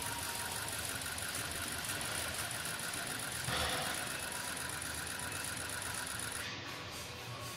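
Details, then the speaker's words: 2003 Ford F350 6.0L diesel that starts, runs rough and stalls, suspected combustion gases in the fuel: at key-on an even, steady electric buzz with fine chatter for about six seconds. All eight injectors are firing properly. "that was all eight hitting it sounded pretty good"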